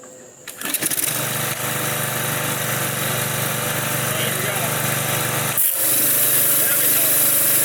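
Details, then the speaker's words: Used consumer pressure washer engine on retry: pull-start catches at once, small engine holds a steady even buzz without surging or misfiring; seemed to run okay, sounds fine, oil change and valve check planned later. "We'll do an oil change later, and maybe we'll check the valves and stuff. But it sounds like it's fine."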